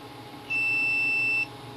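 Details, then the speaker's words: Multimeter continuity check on a TV board under repair: one steady high beep about a second, indicating a short across a green power resistor color-coded as 57 ohms; owner suspects other parts may be affecting the reading. "that's saying this resistor is shorted this big Power is this green thing here"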